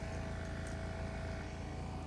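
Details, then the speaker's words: BMW F11 air suspension compressor after a DIY repair costing under £40, rear raised on bricks: a steady humming drone with a constant tone as the car rises. The compressor is running smoothly and healthy. "Nice. And it's going beautifully up. Look at that."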